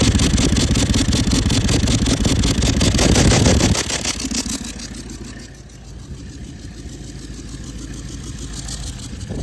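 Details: Toyota Land Cruiser 200 series 1VD diesel, oil changed every 5000 km with full synthetic, sounded a siren noise with exhaust smoke while driving: thin steady high-pitched siren over the diesel even as revs drop; failed turbocharger whine.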